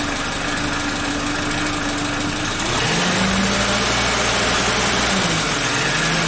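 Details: Suzuki Katana (Jimny) restarted after a timing belt and tensioner replacement, valve adjustment and an oil level check (mid-range). The engine settles into a steady, smooth, healthy idle with no knocks or ticks.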